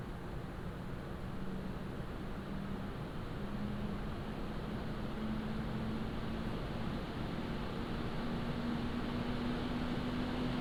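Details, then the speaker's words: Montech HyperFlow Digital 360 AIO on open bench, ramped up from idle to load; soft even low hum with faint steady tone, not sharp-pitched — radiator fans sound healthy under load. "Now, as you can hear, there is noise from the radiator fan, but it's not giving a very large, or should I say sharp pitch. Instead, it's a very light hum."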